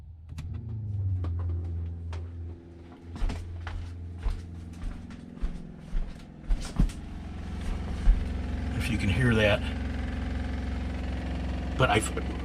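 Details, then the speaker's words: RV fresh water pump in constant-run test: all faucets shut, no leaks found, yet pump comes on at low rpm; low steady hum under clunks and handling noise; fresh tank also overflowed on city water; pump to be removed and replaced. "okay but as soon as i turn this on the pump is going to come on at a low rpm"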